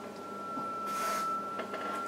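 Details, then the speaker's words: Yaesu FT-101ZD Mark III, 40 m heterodyne oscillator fault: freezer spray is applied to the crystal only, and the steady signal-generator tone of about 1.3 kHz (S9) shifts up in pitch. The crystal oscillator is drifting off frequency when cold. "if i just give the crystal little freezer spray here just on the crystal nowhere else you'll hear the tone shift and then it might stop working a few seconds later"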